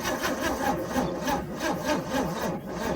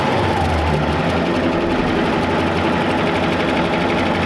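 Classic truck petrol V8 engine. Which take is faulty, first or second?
first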